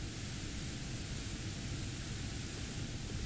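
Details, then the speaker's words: Studio monitor speaker with the input shorted and bypassed, mute bypassed, about 100 microvolts of noise; steady, even hiss with no hum or crackle, still present after testing, so the noise comes from the amplifier itself. "and we still get a hundred micro volts and well let's have a listen yep still there and we'll just record that"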